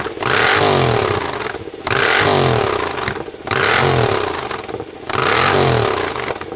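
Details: Rebuilt open exhaust just fitted to a Triumph: four sharp throttle blips with crackles and pops as revs drop. The still-connected AIS air injection system makes it run lean and pop; the owner intends to disconnect it.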